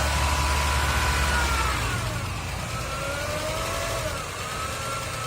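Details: Honda Civic engine at low revs with a thin whine wandering in pitch, heard around the alternator area after repairs following a robbery; alternator replaced and hydraulic steering pump fitted, steering sometimes noisy; cause unconfirmed, engine bay whine.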